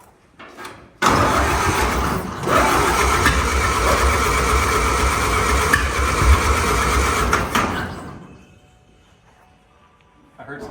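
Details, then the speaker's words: 1929 Ford Model A, said to be locked, positive-ground, decent compression in all four cylinders, no oil in engine: about seven seconds cranking with uneven pops, never runs; plugs suspected wet, fuel dripping from exhaust. "Pops I think those plugs is really like wet probably I hear it dripping somewhere dripping everything out of the exhaust"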